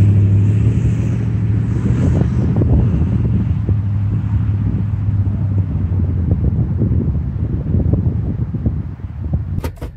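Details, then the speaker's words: Nissan Titan pickup after 4x4 fault fixed with no parts (axle had been causing trouble): deep, steady engine rumble under load climbing a steep, slippery hill, no clunks or grinding from driveline; four-wheel drive working normally. "a bit of way yeah 4x4 is working awesome well that axle was causing so much pain"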